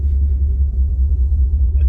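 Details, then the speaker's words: 2005 Mustang GT V8 with no mufflers, exhaust ripped off on tree roots during a test drive: a loud, deep, uneven rumble with nothing muffling it. "And it's got no mufflers and it's low to the ground. Matter of fact, we just ripped the exhaust off."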